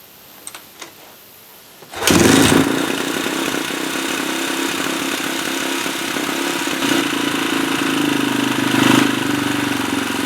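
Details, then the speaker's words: 2004 KTM 450 EXC after carb rebuild, sat 6 years, cold start: catches on second kick and settles into steady, even thumping idle with no misses or knocks. "All right, that sounds pretty good to me. What was that? Two kicks?"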